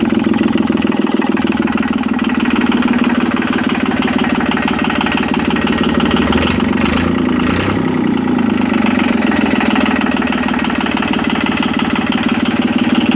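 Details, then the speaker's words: Yanmar 3QM30 three-cylinder marine diesel running steady and even, no knocks or misses; oil pressure reached about 75–80 psi, some smoke from diesel after long cranking with decompression on. "but it did get up to about 75 80 psi oil pressure I think it sounds pretty good"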